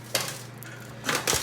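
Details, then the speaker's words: Ariens snowblower wheel rocked up and down gives sharp metallic clunks from a completely worn axle bearing on one side only; the other side is tight. "You can even hear the banging. This axle bearing is completely shot. And it's only on that side."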